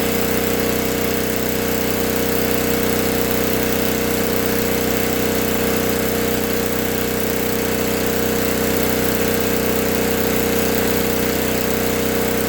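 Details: 1964 Lincoln Weldanpower 150 AC welder/generator (year guessed) at high rpm after a new coil, condenser, plug, plug wire, fuel line and filter, and reset points. The magnet had been rubbing the coil. Steady even roar, no misses, knocks or surging. Runs strong and healthy.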